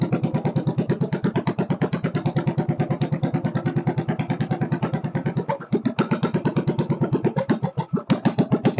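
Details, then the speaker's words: Stationary Kohler K301 single-cylinder, first start on fuel with some chainsaw mix: a steady putt of about three beats a second that stumbles and hesitates at times; the idle speed needs adjusting, with no clear knock heard. "she needs a little adjustment on the idle circuit not idle circuit the idle speed I should say"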